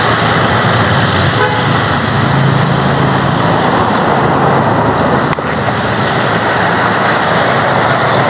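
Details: Car with a dropped battery, after a jump start: engine holds a steady, even run with a low drone and street noise around it; starts and runs normally.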